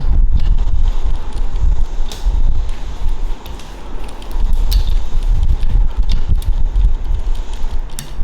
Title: Brompton clicking sound when in lowest cassette gear